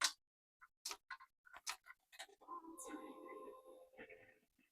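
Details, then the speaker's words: Kawasaki Vulcan S 650 motorcycle: after reconnecting the fuel pump connectors, key-on gives a few clicks and then a steady soft whir for about two seconds. The pump is priming normally; it was not heard earlier, and a fuse had been suspected. "we can hear the fuel pump right"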